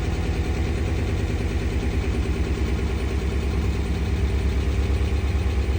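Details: 2013 RAM 1500 5.7 Hemi at cold start, code P0300 multi-cylinder misfire: loud, lumpy, stumbling V8 idle.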